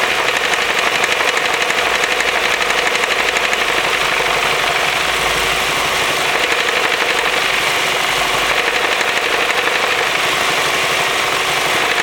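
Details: Ford 2.0L Duratec, manual, 310k miles, second clutch: steady idle with a regular knock about four times a second, worse than before, quieter with the clutch engaged; spring-loaded flywheel worn out at 152k suspected.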